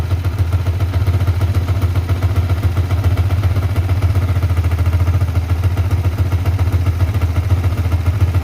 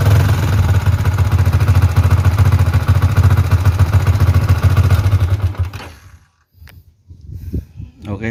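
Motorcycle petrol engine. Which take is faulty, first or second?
second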